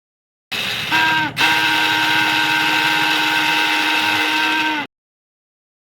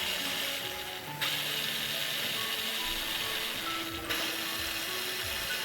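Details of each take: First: Hero Splendor/Deluxe BS6 motorcycle starter cranking with a steady, high metallic whine from a dry, dirty armature bush; fix is removing the starter, two 8 mm bolts and screws, and servicing the armature. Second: Hero Splendor Deluxe BS6 motorcycle starter after removing the self-starter, greasing the armature and refitting: two presses give a steady, even high whirr, previous noise fully gone.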